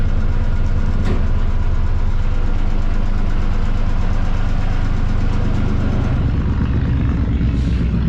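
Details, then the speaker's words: Lifeboat engine test, propeller shifted from neutral into forward gear: steady, even diesel drone with smooth low beat, no knocks or misses; engine running cleanly in forward. "I-start natin. Subukan natin yung forward. Tumatakbo siya."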